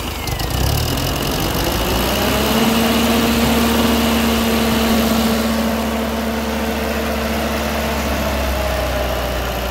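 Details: Massey Ferguson TO20 tractor after repairs (gas tank work, left front wheel bearing that was screaming on test drive): steady, even idle with low regular beat and faint hum, smooth, no surging or missing; normal idle.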